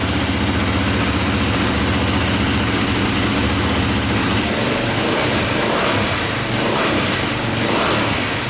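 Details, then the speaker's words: KTM 450 single-cylinder dirt bike, likely dual sport, just after carburetor fix: steady idle with short throttle blips rising and settling cleanly, no smoke; owner hears a click at shutdown, suspects one-way bearing; normal idle and revving. "what's good so far see if she fires right back up sounds good"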